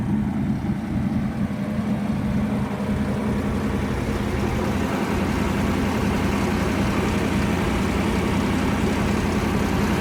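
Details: Restored 1975 Lamborghini Urraco P250, mid-mounted 2.5-litre single overhead cam belt-driven engine idling; smooth, even low hum with no knocks or misses; engine healthy.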